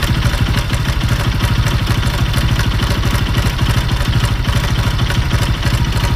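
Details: Bajaj Pulsar NS200 BS6 at idle: a loud idle with a busy, even clatter riding over the exhaust beat at roughly three ticks a second; an irritating engine noise of unknown source.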